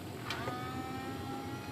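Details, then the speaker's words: Arcus M RC plane retract motor system that failed to retract after a throttle run: faint small-motor whine sliding down in pitch with rough gear chatter; the servo grinds without traction, bound up on something. "that servo could be bad everybody because what's happening is it's grinding it's not it's not getting traction on the gears themselves so that either means something's bound up or it's actually just not moving"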